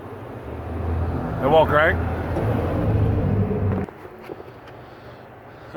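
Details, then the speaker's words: 1994 Geo Metro with a timing belt, computer found on the floor and messy wiring, push-button start; with starter fluid sprayed in at wide-open throttle the engine catches with a low rumble for a few seconds, then dies. Fuel problem suspected, not confirmed. "we can tell there the engine fired over and try to run for a little bit"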